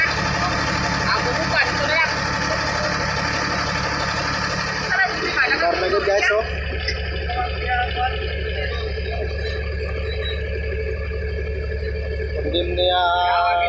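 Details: Komatsu D155A diesel at idle with a low, steady rumble, firing evenly at roughly four pulses a second with no misses or knocks. The engine is running healthy, though the machine had a no-start complaint.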